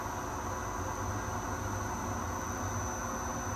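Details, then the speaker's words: Torque converter balancer spinning a vendor converter at 500 RPM with belts removed: thin, steady high whine over an even spinning hum, from the VFD motor's switching frequency, not the spindle; VFD motor switching noise. "And that's not the spindle making that noise. It's actually VFD motor uh frequency noise."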